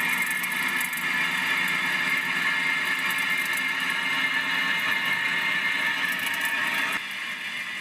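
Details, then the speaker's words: Tesla at the workshop, heard while driving: steady high-pitched whine over low road noise that drops off as the car slows; damaged front wheel bearing, to be replaced (rear axle seal leak also being fixed). "നിങ്ങൾ ഇതിന്റെ sound കേട്ടല്ലോ ഇത് actually ഇതിന്റെ front wheel bearing damage ആയിട്ടുണ്ട്"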